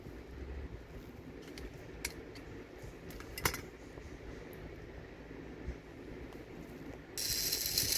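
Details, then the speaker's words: Trackmaster Thomas toy train motor with corrosion and dirt inside: gritty ratcheting whir with odd clicks from a cracked gear that slips off easily, plus dirt grains; needs a replacement gear. "cork gear comes off very easily then this is the problem yep it comes off very easily so it is cracking and it makes a lot of noise"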